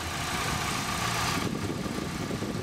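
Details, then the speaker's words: 2012 Honda Civic just after an oil change using Shell Rotella Gas Truck oil: quiet, steady, smooth idle with no knocks or ticks and a faint constant whine. "That's the oil change in this video. If you guys hear it, it's just running perfectly smooth."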